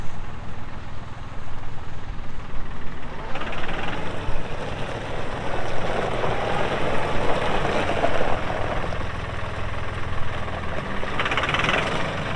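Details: 2018 Massey Ferguson 2605H 4WD compact tractor, 310 hours, 911X front loader: steady low diesel drone that picks up under load, no knocks or misses; normal healthy running.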